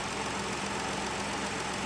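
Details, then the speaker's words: 2011 Ford Explorer, first start after replacing the spark plugs (almost 300,000 km old) and PCV valve for a cylinder 5 misfire code: it starts with no hesitation and settles into a smooth, even idle with no stumble or miss. "so there well we'll just start her up and see what she sounds like it actually started a bit different as soon as this started there was no hesitation whatsoever"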